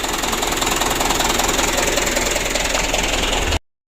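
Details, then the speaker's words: Rough, uneven diesel idle with slow clatter pulsing about three to four times a second on a 2007 Mitsubishi Canter truck engine just rebuilt after blow-by and oil burning, warm; idle speed set too low, to be raised and adjusted. "seperti ini ya goyangnya jadi kita naikkan sedikit besok kita setel besok kita setel"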